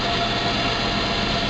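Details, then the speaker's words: Safari van just after fuel pump replacement without dropping the tank: steady, even idle hum with no whine from the tank area; new pump is quiet where the old one was very loud, van runs smoothly. "that's nice the other one was sounded like a tank it was so loud"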